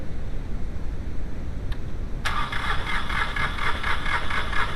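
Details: VW 2.0L AZG engine cranks OK but will not start: even starter cranking rhythm that keeps turning over without ever firing or picking up; crank no start.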